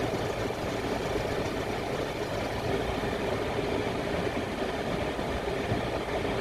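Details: Citroën C4 Grand Picasso 2016 idling with a loud metallic rattle from the auxiliary belt drive; noise gone with belt off, worn aux belt tensioner replaced with new belt, which fixed it; noise had been getting louder.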